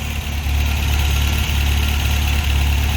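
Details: 1987 Toyota 4Runner with rebuilt 22RE engine, after break-in at about 2,000 rpm with some smoke: low heavy idle with a slightly uneven beat and occasional dip; slight misfire at idle, plugs and timing to be checked.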